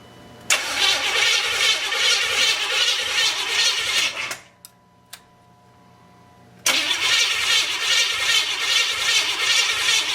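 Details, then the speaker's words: 350 SS engine on its first start attempt, after fuel had just been added to an initially empty tank; distributor setup not yet verified. Two long bursts of cranking with no firing at all; crank-no-start. "Okay. Not a thing."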